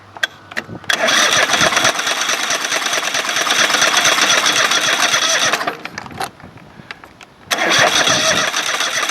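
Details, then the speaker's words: Craftsman GT5000 lawn tractor V-twin during woodruff key repair, running on the left bank only: it catches, runs rough in uneven bursts with ticking, and dies; the left bank seems rich and the coil pack is suspected of mistimed firing, unconfirmed. "let's see when it does hit it you hear that tick tick or it's trying it's like the the pack on the left is firing at the wrong"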